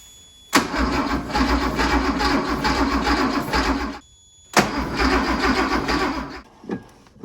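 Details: 1973 Porsche 911T with points ignition, sitting since 1998, new coil fitted: two bursts of steady even cranking a few seconds each with no firing; dirty distributor points not making a clean spark.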